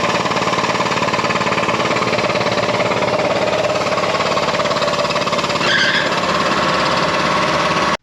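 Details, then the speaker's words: BoostedGT's car, with the engine making some noise that day. Steady-speed running with an uneven, rattly knocking texture over it; the source is not identified. "not much there wasn't a whole lot to see or do there that particular day the engine was making some noise"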